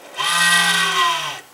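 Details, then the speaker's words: Old computer power supply fan on switch-on: loud buzzing hum and rattle, dropping in pitch as it stops; fan wearing out from age, to be disassembled and lubricated. "Бывает такая ситуация что включаем очень сильно гудит слышно как он тарахтит вот Начал вентилятору приходит потихоньку конец"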